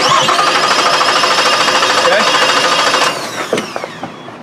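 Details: Reference clip from a Nissan with its compression problem corrected: starter cranks at an even, regular beat of about three per second with no stumbles, showing good, equal compression across cylinders.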